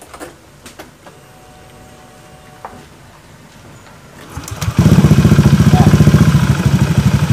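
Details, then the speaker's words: Honda Beat automatic scooter with ACG starter, idling with the CVT cover removed: even, steady putter with no clatter; normal idle. With the CVT fitted it knocks at idle, vanishing when revved and returning off throttle. "bisa dibunyikan kita tes bunyikan dulu setelah CPT dibongkar suaranya jadi adem"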